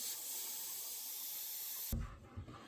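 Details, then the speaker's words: Samsung WindFree 2.0 indoor unit coil replacement: sharp hiss fading within a second or two as the new coil's nitrogen holding charge escapes from the broken flare fitting, then quiet; normal for a new coil. "It should have a nitrogen charge in it. You should hear the nitrogen come out. Exactly like that. You want to let it peter out"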